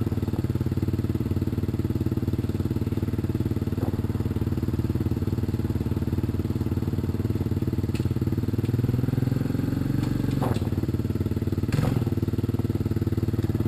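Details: 1986 Honda TRX200SX single-cylinder quad just started after steering shaft repair, choke partly on: fast uneven thumping idle with raspy chuff; idle set too high and cracked exhaust leaking.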